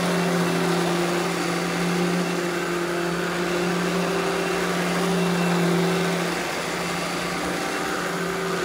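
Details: Eureka The Boss Smart Vac upright vacuum, model 4870 type GZ, bought secondhand, belt replaced; switched on for a demo: steady high motor hum, even pitch, no rattles or tone changes; normal smooth running.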